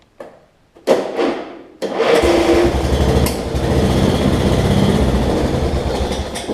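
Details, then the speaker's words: Lowe's-brand riding mower that sat a while, after replacing a bad solenoid and bypassing a safety switch: small single-cylinder engine catches after a few cranks and settles into a steady, even running buzz; runs normally. "so it's running."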